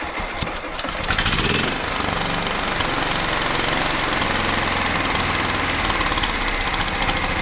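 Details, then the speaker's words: John Deere mower/tractor with a replacement 16hp engine, jacked up, just started: loud, steady single-cylinder drone at constant speed with no misses or knocks; battery voltage rises from 12.6 to 13 V, showing the stator is charging. "So you can see it started right up, and I'm stepping away because it's so fucking loud, but so you can see how it goes up to 13 volts."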